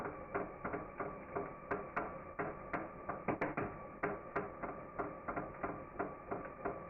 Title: Rod knock ?